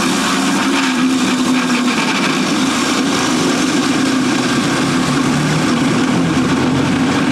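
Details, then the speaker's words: Troy-Bilt TB240 electric mower, on an extension cord from a generator: steady buzzing motor hum with wavering tone and rattly clatter; blade in terrible shape, sounds bad when the blade brake engages, rough running cause not yet found. "Okay, so it runs. But boy, does that thing not sound happy. So let's see if we can spot any reason why."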